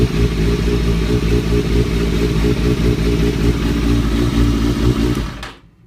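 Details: 2003-2004 Kawasaki ZX-6R 636; busy metallic clatter over a deep uneven engine beat until shutdown; owner suspects timing gear, tensioner reset per manual changed nothing; abnormal engine noise, source unconfirmed.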